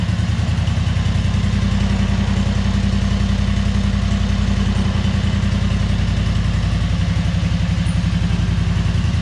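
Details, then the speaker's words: 2003 Wright Stander mower, 23 hp Kawasaki V-twin, with fuel pump rigged to the crankcase pulse output: low, steady, slightly lumpy thump; poor running because choke and throttle cables were on the same linkage, working against each other. "Here I'm realizing that the choke cable and the throttle cable were connected to the same linkage and they were basically working against themselves."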